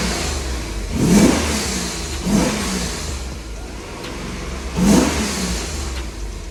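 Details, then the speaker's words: VS Commodore ute, first run with standard exhaust and Y piece just fitted: three quick throttle blips returning to even idle, smooth steady exhaust note, no rattles; exhaust leaks not yet checked. "Oh wow. That sounds different. Since I've had this, I've never had a standard exhaust on it."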